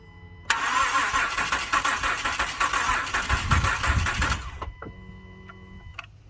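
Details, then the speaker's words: 2012 Acura MDX cranked about five seconds with compression gauge on cylinder 2; starter spins the engine evenly and smoothly. Cylinder reads about 132 psi, slightly weak but working, unlike another cylinder at 30 psi. "Same thing, hook up the gauge. And crank it over for about 5 seconds."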